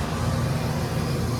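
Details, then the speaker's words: Trane HVAC unit in cooling, second-stage compressor: heavy, rough low drone with uneven throb; sounds terrible, first stage drew 5 amps, second stage pulls 15; tech suspects compressor phased wrong; melted wire found, stage wiring mislabeled. "Then levels out. and we're pulling 5 amps. Second stage. Sounds terrible. Stays sounding terrible."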